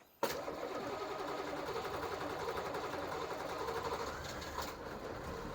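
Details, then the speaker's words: 6.2/6.5 diesel in an M715, run dry, injection pump bled with electric fuel pump and 20-second crank cycles, batteries low: catches suddenly, runs missing and hunting as air works out, belts squealing. "the electric fuel pump made this go quicker the 1009s it takes four to five 20 second cycles and I try to do ice cancer 20 count to 20 Cycles count to 20 wait at least a minute or so and then try again"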